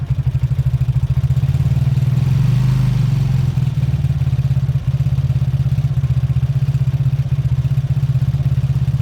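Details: Beaten-up old Lexmoto bike after the carb fuel feed was fixed: an even low thumping idle, one short rev blip, then back to a steady beat with clean firing and no knocks. Normal idle and revving.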